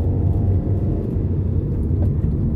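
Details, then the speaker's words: Nissan Primera P12 on a road test through a roundabout after the exhaust noise fix: steady low road rumble with no metallic banging from the rear. The exhaust is fixed and quiet. "it appears we've been successful in fact the only noise coming from the back of this car now is the kids"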